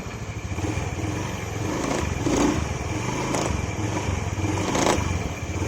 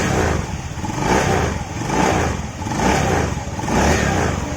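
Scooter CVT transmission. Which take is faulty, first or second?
first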